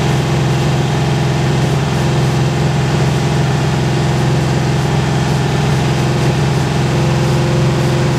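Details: 1970s VW custom trike's air-cooled flat-four after carb flooding fix; holds a deep, steady idle with no stumbling or misfire; it's running evenly.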